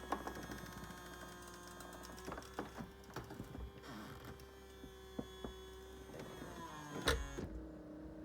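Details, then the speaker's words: Ferrari F355 Spider lowering roof, engine off: steady electric motor hum with light clicks as the seats move forward and the top travels, firm clunk at the end; normal roof and seat operation. "so next when I move the switch you should see the seats move forward into a safe position then the roof starts"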